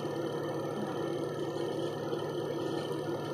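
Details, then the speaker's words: Single-tub spin dryer after adjusting the brake away from the brake drum/coupling (brake pad worn out): soft, steady whir with an even low hum and no scraping or squeal; the drum spins freely and quietly. "Yan, tahimik na mga kabuting-ting dahil yung kanyang brake ay talagang lumayo doon sa pinaka brake drum or doon sa coupling."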